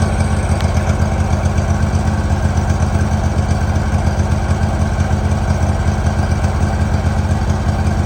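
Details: 2018 Hustler Raptor SD 54-inch mower, Kawasaki FR691V V-twin, test start after head gasket and valve seal replacement, shroud off. Steady even idle, regular low thump about four times a second, no misses or stumbles; spilled oil burning off, running better. Normal idle.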